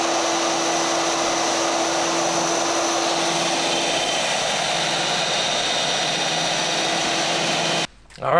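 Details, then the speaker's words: Newly built DFHS 2x48 belt grinder, first test run grinding 1/8 inch cold rolled steel: steady high-pitched rushing whir of the belt under load, smooth until spin-down; runs fine. "so there she is works pretty well definitely kicking up some bad stuff"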